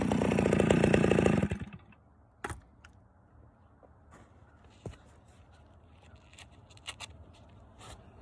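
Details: Stihl 041 AV chainsaw after rebuild (previously overheated and shut off after 10 minutes, badly scored piston), freshly ground chain with rakers taken down far; pulls hard and steady at high revs in knotty ash for about 1.5 seconds, then shuts off; normal cutting.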